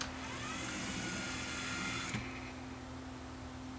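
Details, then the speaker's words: Luxman KX100 cassette deck, door motor unbolted and powered on the bench: small motor whirs steadily with a faint rising whine, then stops cleanly as the switch signals the brass cam to stop and lock; normal motorized panel operation. "so there's that cam brass cam when you turn it on and then the switch signals it to stop turning and it locks it there until you release the power"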